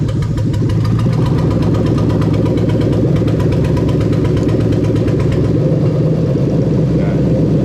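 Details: Lexus LS430 3UZ-FE VVT-i V8 with new wiring harness, no gearbox, no exhaust fitted: loud raw idle, fast steady even pulsing; injectors loose at first, runs fine.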